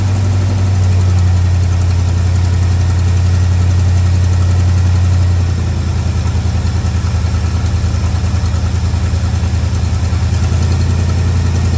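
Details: Old truck V8 just started cold: deep, even idle rumble settling into a steady low beat, no knock or miss. Normal cold idle.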